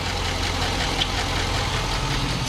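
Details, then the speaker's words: 2005/2006 GMC Sierra 5.3 LS V8, 147,000 miles, idling: faint quick ticking over a steady idle; owner suspects a dropped lifter, one was found broken in the oil pan; lifter tick. "All right, so just real quick, I don't want to leave it running for too long here, but somewhere over here it sounds like a lifter drops."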